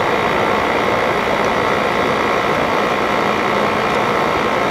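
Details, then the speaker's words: 1988 Fedders Cool Tote Slim 5000 BTU air conditioner, low fan, compressor on after thermostat clicks: steady even air rush with low smooth hum, no rattles or knocks; very quiet normal compressor running. "Wow, that compressor is super quiet."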